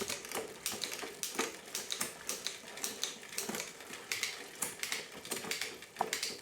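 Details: 1999 Diamondback Sorrento bike after rebuild with new chain, cassette and cables, rear derailleur adjusted by reducing cable tension: crisp regular chain clicking about three a second, shifting cleanly without grinding or skipping: normal rear derailleur shifting.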